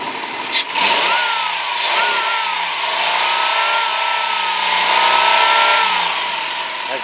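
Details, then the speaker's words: 2005 Dodge Grand Caravan SXT with the 3.8 liter engine, revved up to the rev limiter. It revs cleanly and holds high revs smoothly, with no knocks, taps or valve train noise; a healthy engine. "you can hear, even up to the rev limiter, no knocks, no valve train noise, no taps, nothing at all to worry about."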